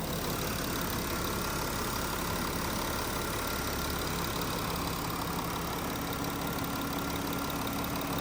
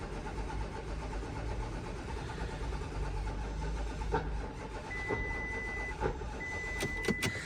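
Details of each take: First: VW Touareg TDI, about 150k, running after no-start repair during a diagnostic regeneration, temperatures coming down: steady even diesel idle, smooth low rumble, no knocks or misses; normal idle. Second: VW Touareg TDI, about 150k, no-start: a low, labored cranking churn drags then stops hard with a few clicks; a cylinder is hydrolocked by one leaking injector, high fuel pressure is not building, and there is a rail regulator fault.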